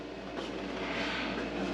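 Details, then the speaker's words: Mr. Heater Big Maxx garage heater, under a year old: fan roar with rough uneven chatter like blades clipping, though nothing contacts; blower motor itself broken. "I'm going to put these on here just Loosely and start this up again and see if I can see what the hell is going on but I think this motor is blown"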